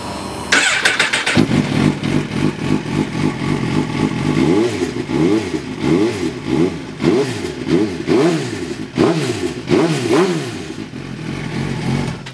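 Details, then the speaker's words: 2017 Suzuki GSX-R1000 at about 3,000 miles, revved up and down: dry, scratchy rattle over the exhaust note, almost like bad clutch plates; owner suspects the exhaust valve, fixable by tightening. "so you guys hear that like scratchy rattle sound almost sounds as if it has bad clutch plates"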